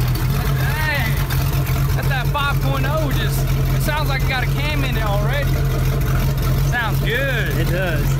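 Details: Rebuilt wrecked boat's engine tested with water flowing before lake trip: steady, even low drone with no knocks or misses under music; normal running.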